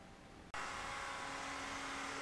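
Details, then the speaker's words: BMW E65 7 Series electric conversion with Lexus GS450H hybrid transmission, 40 V test battery, power steering pump disabled: steady high whine with fainter lower tone from the transmission oil pump; owner thinks it needs more oil. "this point you're gonna hear the transmission oil palms running you're getting to sound like I need to add some more oil to this"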